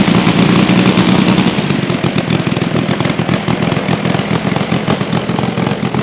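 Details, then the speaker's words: Saito FG-60R3 3-cylinder radial in a Legend Hobby T-28 Trojan RC plane, first run with cowl on, taxi test: ragged uneven burbling beat that never cleans up at full throttle; running rich with cowl on. "I did a couple Full Throttle run-ups and it didn't quite clear out to Full Throttle"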